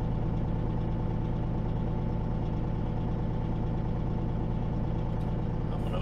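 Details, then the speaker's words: Peterbilt 379 diesel truck idling while compressor builds air toward 120 psi, governor cuts in at 100 and out at 120; steady low even chug, compressor quietly pumping; normal idle with air compressor charging. "it'll kick on at 100 and turn off at 120."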